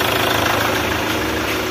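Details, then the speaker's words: Chevrolet Captiva diesel after supply pump and fuel system repair, restarted: steady diesel clatter at idle, evenly paced with no misfire or stumble, starts without priming; normal idle. "Oke, nyala. Enak guys, halus yo, nggak perlu dipancing bensin lagi."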